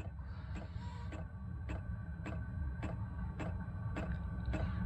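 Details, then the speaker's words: Chinese diesel air heater running red diesel from a 12 V battery on a charger, at startup before ignition, set to full: soft sharp clicks just under two per second over low hum; normal fuel pump ticking. "click you can hear is the fuel pump taking red diesel out to the fuel tank it's not ignited yet it will do in a sec"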